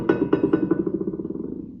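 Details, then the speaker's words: Dana 70HD dually rear axle hub with drum, studs pounded in to lock drum to hub: about eight quick metal taps a second ring clean and die evenly, no rattle or movement; drum sits tight. "That's That's sound I was looking for. There's no movement in it. Sounds good."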